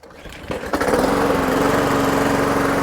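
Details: Toro Super Recycler 21386 mower after replacing the Personal Pace drive belt (Toro 115-4669): pull start catches within a second and settles into a smooth, even single-cylinder drone; wheels don't creep at idle, mower and drive run properly.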